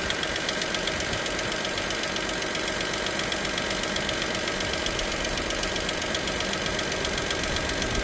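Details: Dacia Sandero SCe 75 petrol engine at idle: quick, light, regular ticking about four per second over a steady idle; cause not identified.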